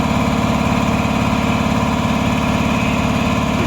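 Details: Repaired 400V V-twin air compressor with little use, previously making no pressure: steady even pumping around 150 strokes a minute with smooth motor hum, passing 100 psi; now building pressure normally.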